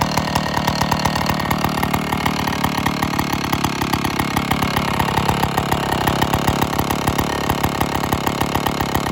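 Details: IEL Pioneer HM chainsaw, old two-stroke, after complete teardown (leaking base gasket, starter dogs fixed), running before bar and chain fitted: crisp, even rattle holding a steady idle, no hunting or stalling; now runs great.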